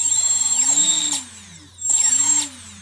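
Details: Emax Nighthawk Pro quadcopter ESCs after active braking was enabled by throttle programming: a high electric whine rises briefly, then cuts off sharply twice with no long spin-down, so the motors brake to a stop.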